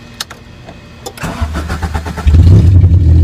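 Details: Honda CRX project, spark plug wires previously plugged in wrong firing order, now corrected: starter cranks briefly, engine catches and climbs to a strong even idle with no stumbling or misfire; normal start.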